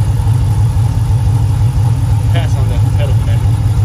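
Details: Hemi V8 after a Moe's HPT camshaft install with Hemifever tune: deep idle with a choppy lope, about two lumps a second. It was briefly thought to be a misfire, but it is just the big cam, nothing wrong.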